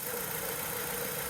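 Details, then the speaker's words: BMW E90 318i, neglected car, at idle: steady buzzing hum near the belt drive; belt tensioner visibly moving and vibrating, likely needs replacing, belt itself in good condition. "so just something I've noticed is this tensioner seems to be moving a little bit and I don't if the camera's going to pick this up if I put this on here I can feel vibration"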